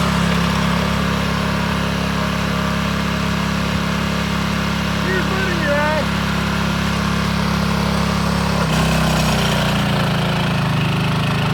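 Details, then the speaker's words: Scotts tiller with the trashed original engine replaced by a DeWalt pressure washer engine, run after the swap: steady, fast, even chugging with no stumbles or knocks. Runs healthy and fast; ready for the garden. "Yeah, she's ready to go. Way too muddy, but man, it's super fast. You can get that garden done in no time."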